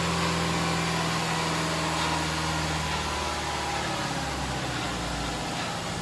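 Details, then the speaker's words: Subaru EJ25 engine from a Legacy, being swapped into a 1973 VW bay-window bus, first start after harness shortening and codes cleared: smooth even idle slightly high, firing cleanly with no misses; smoke from spilled coolant, radiator fans unconnected. "the idle is a little high but I don't think that's a big deal sounds like it's firing fine right now"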